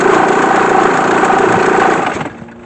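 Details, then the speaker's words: Car after replacing the failed UCH fuse: starts instantly and runs with a steady, even engine note for two seconds with no knocks or misses before it dies away; normal engine running. "donc on a vu ce démarrage au quart de tour on a entendu comme quoi l'alimentation électrique était OK du coup c'était bien le fusible UCH qui était qui avait lâché"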